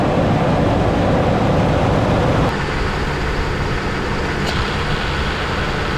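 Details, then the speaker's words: 2008 Ford Expedition 5.4L V8 idling after the A/C compressor clutch pulley bearing was replaced: a smooth, steady rumble with no grinding or squeal from the belt-driven accessories. "Well, that is a whole lot better, and I'm happy with that."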